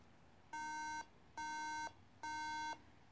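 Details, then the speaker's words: MacBook Pro suddenly froze and glitched during use, screen went black, then three steady identical half-second beeps repeat evenly: the three-beep startup error indicating a RAM fault. "so I was randomly doing work on my computer and it just started glitching and then black like the screen just went black and starts making this beeping noise"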